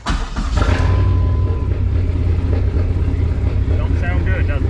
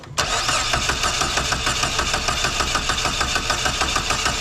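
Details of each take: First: Dodge Neon SRT-4 in freezing weather, P0304 with the check-engine light blinking: cylinder 4 active misfire from no spark (P0456 EVAP also stored). The cold idle is a heavy, lumpy rumble that never evens out, running rough. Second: Dodge Neon SRT-4 with a cylinder 4 no-spark misfire (P0304), cold engine, coil unplugged for a compression test reading about 130 psi: even starter cranking at about three pulses a second with no uneven beats. Normal cranking, compression ruled out.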